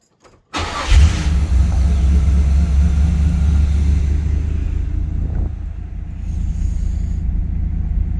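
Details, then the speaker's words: 1984 Chevy Camaro with a 355 small-block and a Quadrajet Stage 2 carb, started in about 40-degree weather after raising the too-low high idle setting. Quick crank, catches at once and settles into a strong, even fast idle with a deep rumble; healthy. "So, that's that may have solved my issue. He was a lot more responsive this time around as opposed to me trying to start it for World of Wheels."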